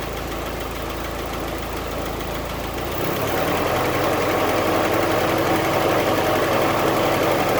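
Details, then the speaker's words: 1946 Willys CJ2A Agri-Jeep with the original flathead Go-Devil four and original 6-volt system, cold start after sitting a few weeks via the starter button: brief crank, then an even, steady idle without stumbling; healthy. "give it some key action here and uh starter button still so we're just going to press start button it should fire it up"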